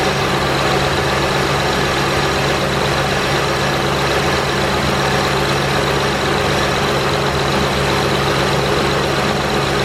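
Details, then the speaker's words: 2008 Honda Pilot SE after replacement of a bad power steering pump: even, steady idle hum with no squeaking or whine; some noise at first start is normal while the new pump pushes fluid through. "so there you have it folks it takes like 40 minutes to do no squeaking it's not hard anymore smooth"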